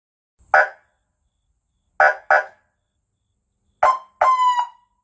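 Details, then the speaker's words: 1995 Kawasaki KZ1000P police motorcycle, 72k miles, sat three years, first battery hookup; four short electronic yelps then a longer rising wail that cuts off cleanly; siren working. "like the sirens work that's cool"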